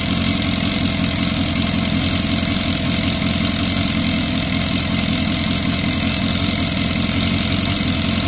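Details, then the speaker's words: Yamaha Fazer FZS 600, 29,000 miles, off the road since 2006, oil just topped up, throttle not yet connected: steady four-cylinder idle with light tapping that sounds quite loud; owner expects it to quiet once the oil circulates. "And then I think it does sound quite loud, but that oil needs to circulate."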